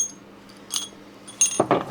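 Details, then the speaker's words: 1935 vintage PTO shaft turned by hand during strip-down: loose metallic clinks and rattling, bearing outer track loose in its housing; shattered ball bearing rattle. "You can hear the bearing is completely shattered, but it is 1935, so you'd expect that."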